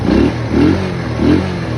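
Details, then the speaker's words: Small single-cylinder motorcycle after refitting a loose valve nut that had fallen into the engine, with new gasket and secured nut: three clean throttle blips, no knock or striking; normal running. "Ven, ya no le golpea nada, simplemente fue la tuerca de la válvula que salió."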